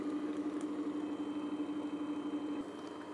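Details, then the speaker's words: 7.5 hp, 230/460 V, frame 213T bandsaw motor running unloaded, measured by tachometer at 1862 rpm against its rating: a smooth, steady mid-pitched hum with no grinding, rumble or ticking; the bearings sound healthy. "so it looks like our RPMs are running where they need to the uh bearings actually sound pretty good on this motor"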